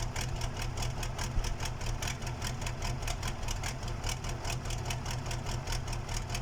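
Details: KAMAZ diesel engine's first start after a major overhaul: steady, even clatter at idle with regular firing pulses and no knocks or misses; a healthy-sounding engine.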